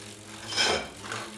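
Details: Tacx Neo 2 trainer: dry hiss swelling and fading about twice a second with each flywheel turn, a very loud rubbing scrape inside; unit returned under warranty.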